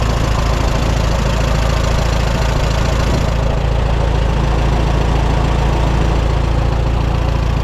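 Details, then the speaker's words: 1954 Allis Chalmers WD45 after splitting the tractor to replace hydraulic seals: steady low idle in neutral with the clutch out and a faint continuous rubbing from the bell housing. Not a knock or grind, possibly quieter as it runs; cause unknown, may be benign. "we got a strange rubbing noise coming from the bell housing well I probably wouldn't buy it if I was looking at it this noise could be completely benign it could go away by itself or it could be a precursor to some type"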